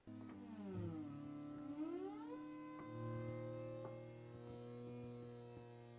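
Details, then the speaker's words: Roland JUNO-106 (1984) once warmed up: held chord with gliding pitches broken by scattered crackles and pops, blamed on hardened, conductive epoxy on a failing voice chip. "The JUNO 106 also produces a really cool sound , but after it warms up, it starts to have problems with noise."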